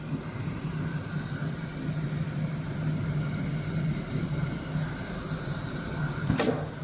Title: Getonagain Pocket Setter Pocket Sewing Machine Testing before shipment #pocketsetter #pocket